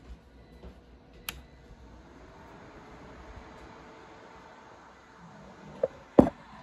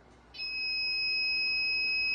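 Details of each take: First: Ender 3 3D printer that beeped continuously and stuck on the boot screen from exposed wires grounding out at the bottom: after pulling the wiring clear it powers on with a faint fan hum and no alarm beeping. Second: New Ender 3 3D printer, first power-up: continuous high-pitched alarm beep and stuck on boot screen, possibly caused by a shorted hot-end thermistor.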